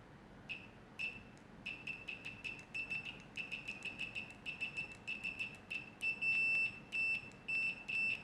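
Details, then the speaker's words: UNI-T UT125C multimeter in continuity mode, tested with its fixed soldered-on leads: short high-pitched beeps in an uneven pattern each time the leads touch, with a slight delay, a scratchy but fairly loud tone, and no visual indicator. "There's a slight delay. Scratchy, but hope you can hear that okay."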